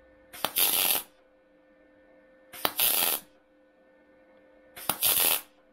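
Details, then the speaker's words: MIG welding body sheet metal, butt-joint spot welds at 60 A, 16.5 V, inductance 3: three short harsh spattery crackling bursts about two seconds apart, beads domed, large and high; inductance set too low. "Donc là, 60 ampères sur le poste, 16,5 volts et 3 en inductance. Tu vois comme ça fait? Ça fait un petit peu bombé. Le cordon, les points sont assez gros, comme tu peux voir."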